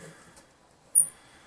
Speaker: like I said this doll pointer was jammed and wasn't spinning I forgot he'd also asked me to take a look at that you can hear a bit of squeaking